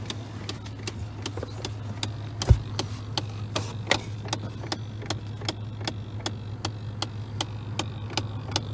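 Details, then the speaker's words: 2001 Chevrolet Silverado with broken air conditioning. Sharp, evenly spaced clicks about twice a second over a low hum, coming from behind the dashboard; owner suspects an air conditioner motor in the box. "i found where the terrible clicking was coming from the terrible clicking sound is in here"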